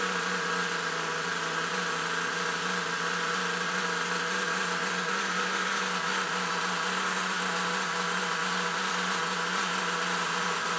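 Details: Nitro RC engine at first start after two years: high, buzzy, steady scream with no rise or fall; it runs but sounds mistuned, with the carburetor out of adjustment and needing better tuning.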